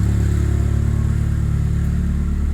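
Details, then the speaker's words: Saab 9-3 Aero, after ATF cylinder soak and steam cleaning, disconnected injector reconnected: deep, steady idle with even pulse, running cleanly on all four cylinders; compression apparently restored. "that's interesting now it sounds like as a compression all four alright let me try connecting back that injector it's hard to get back in there there you go oh okay that was running all four"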